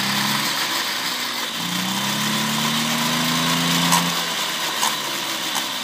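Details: 1972 Motobécane 40V moped, first start after cleaning and engine overhaul: small two-stroke buzzing at fairly even idle with light rasp, steady with no knock or misfire.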